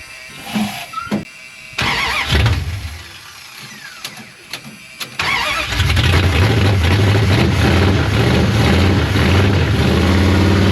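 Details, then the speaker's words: 1973 Dodge Charger, 383 big block, long parked, carburetor bottle-fed, choke initially closed: starts after cranking into an uneven loping idle stumbling about three times a second; runs on eight but rough, carburetor judged trash. "No, this thing just not happy. >> It runs. >> Yeah. >> On eight, but uh >> it needs a carburetor. >> That carburetor's trash."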